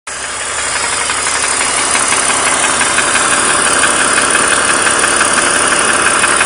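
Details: 2003 BMW 330i E46, M54B30 inline-six, 158k miles, idling with a steady fast tick-knock about three per second over a hissy run; bottom-end knock, owner suspects piston slap after the bottom end overheated; swapped used cylinder head, present 50,000 miles, drives fine.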